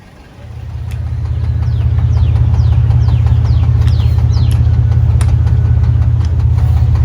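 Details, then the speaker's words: 2013 Dodge Avenger 2.4L dual VVT I4 engine catches and settles into idle with a deep, regular knock about three a second, a worn rod bearing; rod knock with possible piston slap. "there's a brother bad I hear them knocking yeah it sounds pretty bad"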